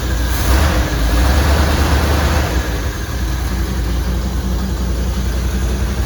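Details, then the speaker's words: 1979 Suburban big petrol engine, with heater hoses just hooked up and coolant being filled to bleed air: settles from a light rev into a low, steady idle with an even beat, no knocks or misses; running well. "Just sitting here filling her up with coolant. Man, she's really running good."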